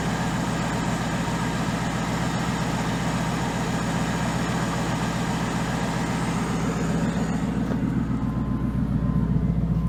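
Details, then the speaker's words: Old Ford Crown Victoria V8 with no check engine light, whose idle dropped low, surged and stalled once warm: after manually adjusting the throttle body idle up it settles to a steady, even rumble. A noisy pump is still pumping. "sounds a lot happier that's your pump makes a lot of noise but it's still pumping so I'm not replacement yet"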